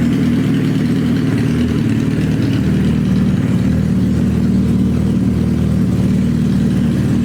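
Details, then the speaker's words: Suzuki Hayabusa GSX1300R after a wreck, newly fitted main fuel injectors, running with no exhaust: loud, raw, steady idle with a smooth beat and no misfire, now hitting on all cylinders. "sounding good. It's loud cuz there's no exhaust on it, but it's hitting on all cylinders now."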